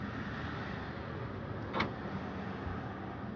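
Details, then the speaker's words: 1997 Toyota Celica, door closed, power locks cycled without touching the alarm beeper: a single quick clunk over a quiet background, just the normal lock operation. "so if you can hear that that is just the locks"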